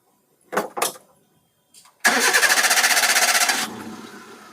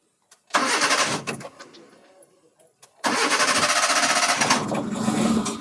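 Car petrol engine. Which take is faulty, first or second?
second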